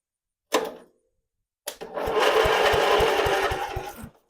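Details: A 30-year-old family lawn mower's starter clicks once, then whirs and turns the engine over with even thumps about four a second. Cranking is normal.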